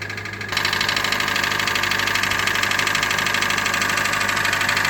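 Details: 2013 Hyundai Elantra GLS at 60,000 km idling with a loud, steady metallic knock about three times a second; friend suspected rod knock, dealership said crankshaft rubbing the bottom of the engine, engine to be replaced.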